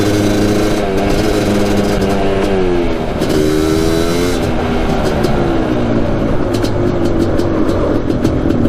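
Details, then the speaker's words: 1988 Suzuki LT500 Quadzilla after a full teardown and improvements: strong, even engine note that climbs and falls smoothly through the revs and idles perfectly, with no knock or miss; runs clean. "Runs minty. Listen to that idle perfectly and everything."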